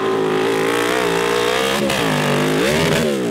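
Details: CB750 750cc cross kart after replacing bad spark plugs that were sparking across the insulator and caused almost all running issues: strong, clean note rising and falling smoothly through hard revs, no misfire; healthy at full power.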